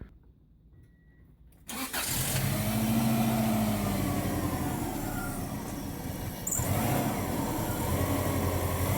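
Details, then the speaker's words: 1994 Subaru Legacy Turbo wagon after GFB blow-off valve and boost gauge install; cranks, catches, then wavering uneven idle with air rush on throttle, won't settle. Check engine bulb out; owner suspects a dirty mass airflow sensor: poor idle. "it still doesn't want to really idle properly I think the bulb on my check engine lights burnt out"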